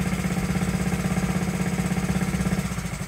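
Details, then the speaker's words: Honda Z50 single-cylinder engine, first run after 35 years, points and carburetor uncleaned, idle and idle air adjusted: quick, even, steady putter at idle, smooth without misses; earlier ran rich. "there you have it running after 35 years first like a kitten didn't even have to clean the points or the carburetor"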